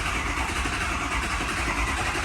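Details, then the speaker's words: 6.0 Powerstroke cranking after a fuel injector job: steady, labored, lumpy turnover as WD-40, fuel and oil left in the cylinders are pushed out, giving a little smoke; ICP reads 0.2 volts. "Now when it cranks like that, that's WD-40, that's fuel, that's oil down in the cylinders. Now we blew that out and it gives it a little funny cranking because there's liquid in there and it's pushing it all out."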